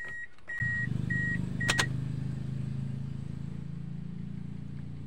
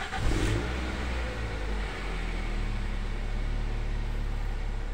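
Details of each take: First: Toyota Altis, cold engine after sitting overnight: chime beeps, then starter grinds about five seconds before catching; long cold crank, black exhaust smoke, restart normal afterward; fuel pressure draining back suspected. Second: Toyota Altis that needs long cranking to start when cold, restarted after it had died: short crank, then it catches at once and settles into a smooth, steady idle; normal start, fuel system suspected.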